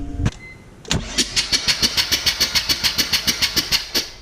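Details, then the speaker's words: RX7 FD rotary engine, recently built, cranked on the starter with both plugs out after seeming to compress unevenly on the rear rotor; an even run of puffs about three a second with no pauses; owner doesn't think a seal is bad. "know I mean there's like no pause in between any of them"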